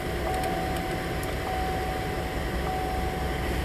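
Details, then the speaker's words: 2009 Buick Enclave after coolant temperature sensor replacement, cold engine started: low, steady hum with even idle and no knocks or surging; no Engine Hot A/C Off warning or check engine light; normal cold idle. "our temperature is still going to say cold because the engine is cold but we do not have our warning now we don't have a check engine light"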